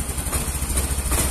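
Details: Yamaha Mio M3 scooter, previously hesitating with no power, after fixing a leaking tappet cover: short burst of steady single-cylinder idle thumping, no misses or rattles; normal idle.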